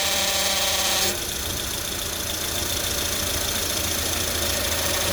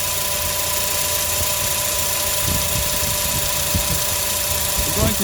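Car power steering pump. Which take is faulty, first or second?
first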